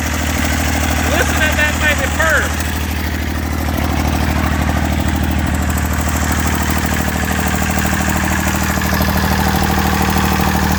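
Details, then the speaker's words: Massey Ferguson 35 three-cylinder diesel, sat in woods 20+ years with engine frozen from water, first run after freeing it: steady, even idle with a regular low thump; fuel leak noted, burning off oil, runs smoothly. "got a lot of fuel leak motor sounds good I don't have any water in so I got to shut it off here"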